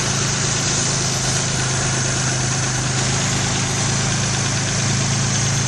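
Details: 1994 Geo Metro four-door during drivetrain restoration, distributor timing advance being compared: steady even engine hum with smooth unbroken rhythm, no knocks or misses; normal idle.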